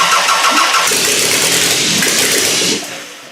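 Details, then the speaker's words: Car fitted with a GM distributor, timing being adjusted; the starter cranks, the engine catches in ragged sputtering bursts and dies, ignition timing slightly off but close. "Okay, timing's a little off. But it's so close. So close."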